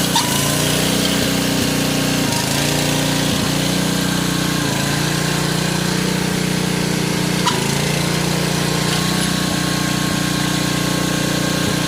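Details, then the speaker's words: 1986 Troy-Bilt Horse 2412 rear-tine tiller after tine/PTO re-grease and transmission fluid fill: small single-cylinder engine holds a steady, even drone with tines turning; no knocks, misses or grinding; running healthy. "get it outside to start it. Moment of truth. I'll fire it up. It'll go forward."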